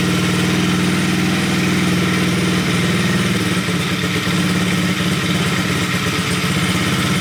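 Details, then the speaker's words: Coolster 110cc single-cylinder dirt bike after swapping to a PZ20 carburetor, choke off, during idle adjustment: a smooth, even, steady idle with no misses, possibly a little low, with RPM climbing slightly. "That sounds like about a good idle right there. That's what I think a good idle is. Might be a little too low."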